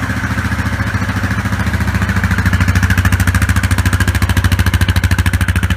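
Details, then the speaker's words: Yamaha Grizzly 660 ATV started right after its throttle cable was replaced. The single-cylinder thump is crisp, regular and steady, with no stumble or rattle, so it is running normally. "now we're going to fire it up [Applause] [Music] sounds like it just's working good down baby"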